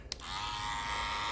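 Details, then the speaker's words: Andis Master cordless clipper: a steady high buzz with a faint loose rattle; the owner thinks something is hitting inside. "You can hear it. A little rattle now. I think it's hitting on something, but I could be wrong."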